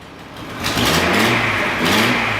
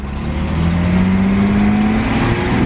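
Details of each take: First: Datsun 240C after a dead spark plug was replaced, curing the misfire: the engine picks up cleanly from idle and revs smoothly twice with an even, steady note, now running on all cylinders; an exhaust leak remains. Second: Datsun 240C straight six accelerating while driving: a rough, throaty, truck-like bark and chuff that rises with throttle, caused by an exhaust leak still to be fixed.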